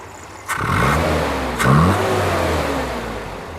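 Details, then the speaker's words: 1982 Toyota 22R with a performance distributor and Weber 32/36 carburetor, after tuning to just under 16 inches of vacuum at about 750–825 rpm idle: two quick throttle blips rise cleanly and settle back to an even idle with no misses. It runs healthy. "It sounds happy."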